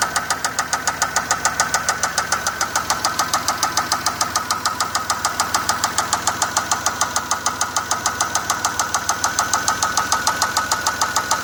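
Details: 2004 Pontiac Grand Prix 3800 Series 3 V6 at idle: loud, sharp, regular tick-knock about 3.5 per second; began while driving, check engine light flashed briefly; rocker arms and rods checked okay, owner fears bearings; cause unconfirmed.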